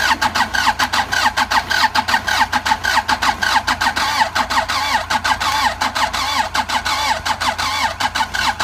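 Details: Andoria 4CT90 engine that cranks but won't start: steady cranking at about 105 compression strokes a minute with starter whirr, never firing; only a little pressure is noted, not big pressure.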